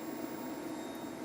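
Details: Hybrid off-grid solar setup's 3.5 kW inverter running normally: a steady, even electrical hum with a faint high whine over it and no rattles.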